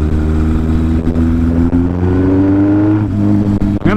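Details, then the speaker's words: Yamaha XS1100 cafe racer after big bore kit and performance head, engine warmed up, on road during break-in: crisp, even exhaust note rising and settling cleanly through revs, no knocks or ticks; motor sounds good. "We don't have any funny noises. I can't hear anything. The motor sounds good."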